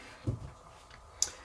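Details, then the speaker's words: Polti Vaporella Forever 850 steam iron solenoid valve, removed from boiler circuit and actuated by magnet: two sharp clicks a second apart as it opens and the spring closes it; normal operation. Valve sticking open can let water return from boiler to pump; tapping it can free it. "happens that a little steam comes from the iron and as for you you immediately think that the solenoid valve is faulty instead a few times it is enough to open without changing another valve"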